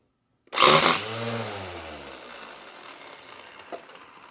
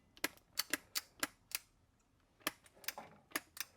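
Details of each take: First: Black & Decker LST220 cordless string trimmer after repair (re-soldered connector; would not start even with a new battery): motor whirs up as over-long line snaps off, then spins down smoothly with no grinding; running normally. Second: Black & Decker LST220 cordless string trimmer, new battery fitted, safety off: sharp dry clicks with each trigger press but no motor hum, trimmer stays dead; head unit then opened to trace power.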